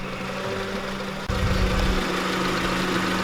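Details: Honda Civic EG with a swapped-in D15 engine, starting after an earlier no-start suspected to be the starter cutoff relay: it picks up and holds a steady, even low idle with no knocks or misses, running normally.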